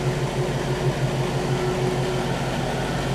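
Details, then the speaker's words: 1960 Pontiac barn-find V8, low miles, idling after Pertronix electronic ignition, Flame Thrower coil and fresh 10W-30 oil and filter (6 quarts): steady, even low rumble, regular beat about three per second, no knocks or ticks; normal idle. "Sitting here running with the new oil and filter. Sounds good."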